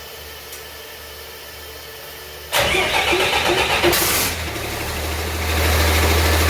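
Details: 1948 Ford F6 COE rat rod, 190 HP 5.9 Cummins 6BT (from 1994 Ford F700), P7100 pump, #10 fuel plate: silence, hard crank, catches and settles into steady even low idle—healthy first start.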